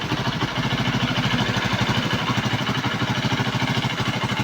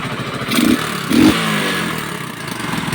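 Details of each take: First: Kawasaki Boxer single-cylinder after repair of CDI (converted to Lifan 110 4-pin AC type) and flywheel, previously misfiring and dying, now thumps along in a fairly even, quick beat with no misfires or dropouts; runs properly again. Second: Kawasaki Boxer after 4-pin CDI conversion fix and idle adjustment, no longer dying: uneven puffs and sharp pops over the idle from leaks at the exhaust pipe, to be cleaned and welded; exhaust leak puffing.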